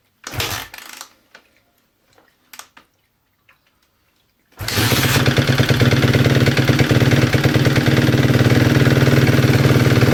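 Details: 2011 Suzuki RMZ250 single-cylinder, top end rebuilt 2-3 hours earlier, cold start then warm idle with varied idle speed: busy top-end tick and chatter. Cause: cam timing set wrong; fixed, plus genuine Suzuki piston, honed cylinder, three out-of-spec valve clearances adjusted.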